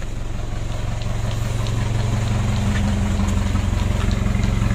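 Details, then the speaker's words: Mitsubishi Pajero Sport Dakar diesel (year unsure, maybe 2014), ECU remapped, oil apparently overfilled, battery light on (alternator to be checked). Steady low chug, about three beats a second, slightly lumpy idle, heavy smoke smelling of raw fuel. Mechanic suspects widened injector holes or uneven spray. "kita sudah menemukan asapnya ngebul aroma minyak atau pembakaran mentah kalau seperti ini bisa jadi dikarenakan lubang injektor ya yang sudah melebar ataupun semburannya tidak sama"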